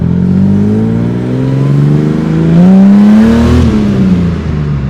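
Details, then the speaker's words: Ford EF XR6 six with an aftermarket chip tuned for bigger injectors; it previously ran too rich to start. Now it revs smoothly up and down with no misfire or knock; normal revving. "see if it starts so the temp cage actually works now it seems to be running okay now thank God for that"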